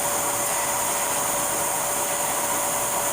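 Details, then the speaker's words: 2010 Mercury Mariner 2.5L running, heard from underneath at the exhaust: steady loud rush of air escaping from a large hole and cracks in the exhaust pipe; exhaust leak. "as you can see I got air coming from here it's a it's a it's a huge hole"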